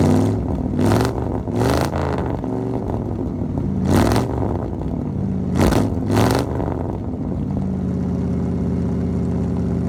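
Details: 1975 Ford F-100, parked 17 years, now running after a brand new 2100 carburetor replaced a rebuilt one that wouldn't run right; several quick blips rise and fall cleanly, then a smooth, steady idle without misfire or stumble; normal idle and revving.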